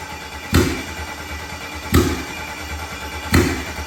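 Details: BMW E36 with V8 swap on its first start: three sharp loud bangs over a rough, low-running engine. It backfires on start-up, cause unknown; injectors were later pulled.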